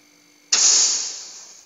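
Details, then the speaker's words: Polytron refrigerator not cooling, empty refrigerant, during regas with new filter: charging line cut and reconnected to test compressor pressure; sudden loud gas hiss slowly fading, compressor still pumping strongly. "Saya akan tes bahwa tekanan kompresor ini masih bagus atau tidak. Ini artinya kalau misalkan presnya lemah ya enggak bisa lanjut."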